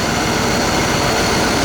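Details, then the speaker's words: 1992 C4 Corvette LT1 300 hp V8 with 96,430 miles, a removed engine for sale: a steady, even idle with no ticking or knocking over the hum. The engine is in great shape with no leaks. "This engine's in great shape with no leaks or ticks or knocking."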